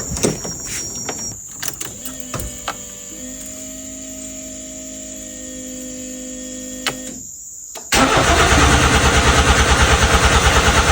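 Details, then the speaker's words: Nissan Sentra N13, long-sitting restoration project car, new battery fitted: starter clicks and whirs, then the engine cranks steadily at about three turns a second but never fires. Crank, no start; owner suspects no fuel, cause unconfirmed. "Aku dah tukar bateri ah. Tapi sebab lama sangat tak hidup kan. Mungkin tak ada minyak ke aku tak tahu kenapa."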